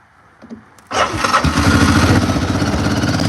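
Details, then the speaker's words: Sat ATV, first cold start with choke on after cranking without it: a couple of pulls, then fires straight up and holds a quick, steady chugging idle while warming; sounds pretty good, normal start. "It's idling. That's crazy. Well, we might be driving it. Yeah, it does sound pretty good."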